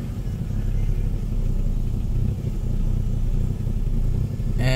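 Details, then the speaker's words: 1998 Ford Escort ZX2 with almost three-quarters of a tank of fuel; problem appeared overnight: idle bobs between low and high, uneven swelling and sagging; a spare constant control relay module seemed to make it worse; rough idle, cause unclear. "the idle speed kind of Bob's up and down it'll go from a low idle to a high idle"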